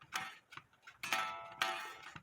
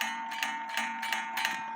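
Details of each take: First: 1860 Black Forest wooden-movement clock, newly rebushed and rewired, rings its bell between sharp dry clicks because the strike hammer is still out of adjustment. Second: 1860 Black Forest wooden-movement Schild/Surrerwerk clock after repair: hammer striking inside gong gives clear, sustained ringing with light taps about three per second; gong rings freely now that it no longer touches wood base; normal strike.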